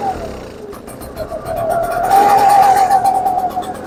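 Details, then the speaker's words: Echo PB-755ST backpack leaf blower on its original carburetor, before the Hipa replacement: revs climb, then waver and sag instead of holding as the throttle opens. Lean bog; not enough fuel through the jets for the throttle demand. "Sounds like just air fuel mixture. So, it starts up, it runs, but once you try to trigger a little bit, it wants to bog, which means that not enough fuel is getting through the jets to the carburetor for the demand of your throttle."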